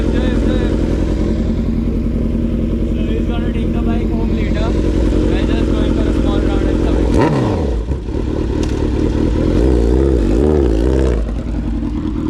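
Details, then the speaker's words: Kawasaki Z900 four-cylinder with Leo Vince full exhaust and freshly cleaned BMC air filter, idling in neutral while warming up; steady idle with even exhaust pulse, then a few clean throttle blips: normal idle. "So we have just cleaned the filter, so it needs to idle for a certain amount of time. It's in neutral, and you all can hear the exhaust note now."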